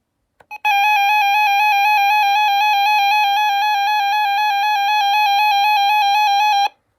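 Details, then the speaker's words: RadioShack 12-382 weather radio made September 2008, siren test: a steady high alert tone with a buzzy, harsh distorted edge; the speaker seems to be going bad, alongside a confirmed dead tuner. "Okay, there's actually I think something else wrong with this. It sounds like the speaker is starting to go bad"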